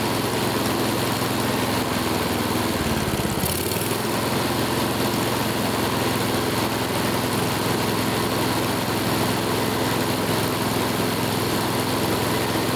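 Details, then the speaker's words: Older Honda Harmony mower after full tune-up (carb, valve lash, ignition, oil), full throttle: steady even buzz at high idle, governor holding cleanly, no surging; measured 1910–1920 rpm, judged perfect. "wow look at that RPM hold on let's see what it is listen to that 1910 to 1920. that's perfect let's bring it in"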